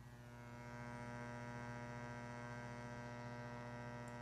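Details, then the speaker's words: Williams PinBot pinball machine, microphone at the speaker while the game is running: loud, steady low hum with a buzzy edge, a hum that persists even with the volume all the way down; abnormal board-related amplifier hum, cause unknown. "And that hum does not disappear when you have the volume all the way down or when the machine is just sitting silent doing nothing. And it's not the normal level of hum."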